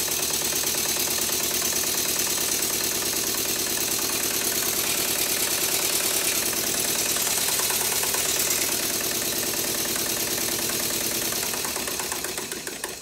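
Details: Stuart Twin Victoria miniature steam twin, clip from before the rebuild: fast uneven beat with a sharp repeated knock over the exhaust hiss, running rough and knocking; the rebuild, plus thicker steam oil, later made it run much better.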